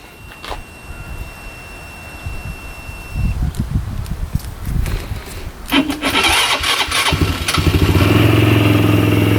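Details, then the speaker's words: Fuel-injected Polaris Sportsman 110 that won't move in gear: quiet lead-in, then it fires at once and settles into a steady, even idle with no misses. The engine itself runs fine. "See, it runs really good."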